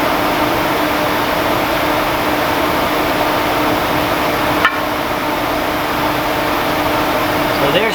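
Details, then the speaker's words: Mishimoto electric fan installed as a clutch fan delete on a 2003 BMW E46 M3 track car: loud, steady rushing whoosh and hum with no rattle or wobble. Louder than a factory electric fan but moves more air. "It is quite a bit louder than a factory electric fan, but it's moving a lot more air."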